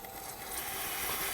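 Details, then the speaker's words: 2006 Ford F-350 6.0L Powerstroke, crank-no-start when hot, engine off: shop air fed into the high-pressure oil system through the removed injection pressure sensor port on the passenger valve cover. A steady airy hiss reveals a leak that seems to come from a dummy plug rather than the injector. "now there is a leak around this area I don't know if you can hear it we do have a leak somewhere here now I thought it was leaking from the injector but it doesn't seem like it's leaking from the injector it seems like it's leaking from this dummy plug over here"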